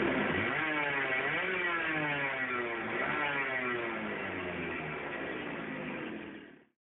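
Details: Burrell racing kart with Miami 125cc air-cooled two-stroke, sat for years, now cleaned, carburetor rebuilt, new fuel tank; crisp note rising and falling cleanly with throttle blips, then dying away; running healthy.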